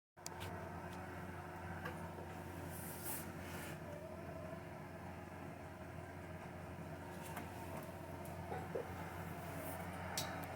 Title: Viessmann internal unit makes weird noise while heating up the water for the boiler.